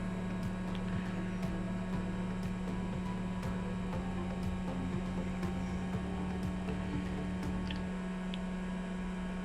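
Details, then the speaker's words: Eberspacher Hydronic 10 kW heater on a test bench, functional check, pump briefly run dry: steady low electric hum with faint sharp clicks about once a second; water pump running normally. "okay i can hear the water pump working usually you should not run it dry but in this short period of time it will be no problem"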